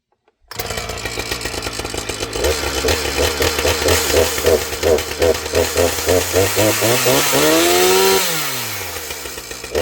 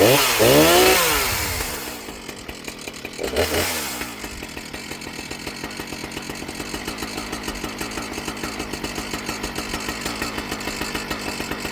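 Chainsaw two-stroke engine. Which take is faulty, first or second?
first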